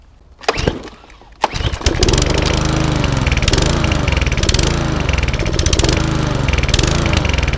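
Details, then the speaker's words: Lawn mower with SV/RV 150 carburettor, apparently petrol mix in the tank instead of plain fuel; starts, then revs keep swelling and sagging in a slow repeating surge (hunting), diagnosed as a carburettor issue. "And that's what a hunting lawn mower sounds like. The revs are going up and down, which tells me it has a carburetor issue."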